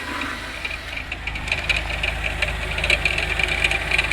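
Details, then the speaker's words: 1992 Oldsmobile 98 3.8L at idle, wheel off, heard at the crank pulley: uneven knocking at roughly two per second, a complaint that fades when revved; knock traced to the harmonic balancer, suspected broken down. "The sound the sound of this uh knocking or clunking basically sounds from down here, you know, by the harmonic balancer."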